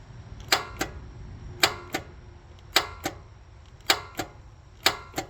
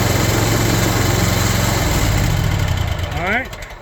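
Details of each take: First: Kawasaki FX850V mower engine, nearly 1600 hours, battery fine, died on the job: five key turns each give a sharp double click with no cranking, a failed starter. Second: Kawasaki FX850V mower engine after new Denso starter installed (old one only clicked): steady low cranking thrum settles into an even running beat, then shut off; starts cleanly.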